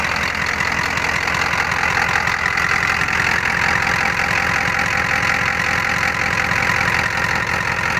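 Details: 1988 Ford F-250 6.9 IDI diesel just restarted after cleaning terminal block and fixing the battery positive connection no-start: even fast idle with light injection clatter, no misses or knocks; healthy.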